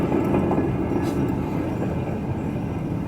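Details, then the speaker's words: 1997 Ford F-150 2WD front hub, caliper removed, rotor spun by hand: coarse rumbling grind fading as it slows, with excess play noted earlier; worn front wheel bearing, grinding. "to me sounds like grinding from excessive friction still does spin pretty good if the bearing is shot"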